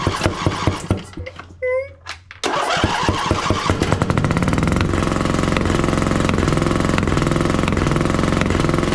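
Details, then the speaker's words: John Deere 145 riding mower with a Briggs & Stratton OHV V-twin that ran without oil, complaint of popping: fast, uneven chugging with sharp pops and poor pulling. Suspected sticking valve or blown head gasket. "Obviously, something's not going right here. Well, one side or the other, one of the valves has got to be sticking or something's going on. uh that or a head gasket's completely blown out to make some noise like that."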